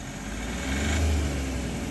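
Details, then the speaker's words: Hyundai Xcent / Grand i10 after repair of self-acceleration fault: engine revs on throttle then drops cleanly back to about 900 rpm idle, smooth, no knocking, hanging or surging; normal return to idle. "இப்போ விட்டால் நார்மலுக்கு வந்துடுச்சு. நல்லா ஸ்மூத்திங்காக இருக்குது."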